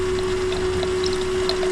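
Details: Electric coolant pump on a VL Calais during a Harrop 2300 supercharger install, with both separate coolant systems charged and the heat exchangers filling before first start: a constant mid-pitched hum with water gurgling through, steady and even. Normal running.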